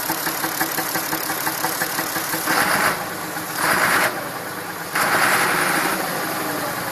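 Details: Massey Ferguson 2645 tractor, Perkins 6-cylinder diesel, owner claims rebuilt 100 hours ago: hard warm start, churning with uneven surges and drops for seconds before settling; also poor cold starting, lack of power; suspected valve not closing, low compression, unconfirmed.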